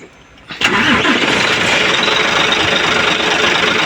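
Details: Hino 700 diesel truck that had been cranking without starting, after bleeding the feed pump: the starter grinds briefly, then the engine catches cleanly within a second and settles into a steady, even idle with no stumbling. Normal start.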